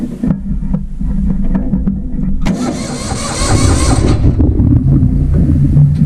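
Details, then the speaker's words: Vintage Hydra-Mac mini skid steer, restarted after it died: catches and settles into a fast, racing idle with a busy low rumble; owner suspects the coils are toast; super high idle. "I don't like that it was running at a super high idle, but it was running."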